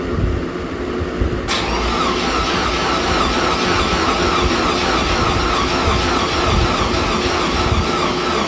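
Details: Car with a 10 psi supercharger and Holley Super Sniper EFI, distributor not yet locked out, fuel too rich on an earlier try: slow, laboured, even cranking that never catches; the battery is too weak and needs charging.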